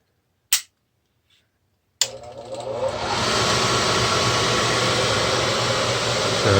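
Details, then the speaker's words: Midco gas burner on a Slant Fin Intrepid steam boiler, hot-wired, start of 30-second pre-purge before ignition: click, then blower spins up into a steady even rushing whoosh; normal pre-purge, though owner thinks burner may be over-fired. "i'll go ahead and just turn this on just so you can hear it now we're going to have a 30 second pre-purge and then a trough for ignition"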